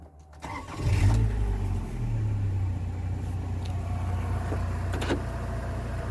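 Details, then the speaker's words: Rover 45 1.8 K-Series CVT, tired family car, started on a jack before its service; an earlier noise at key-on is now gone: brief crank, then a steady low idle with no knock or rattle; healthy. "There's absolutely no noise from this car whatsoever."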